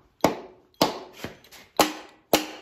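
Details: Mopar Hemi engine on stand, testing whether valves are free: four crisp, evenly spaced taps about half a second apart, each ringing clean and dying off; this valve springs back freely.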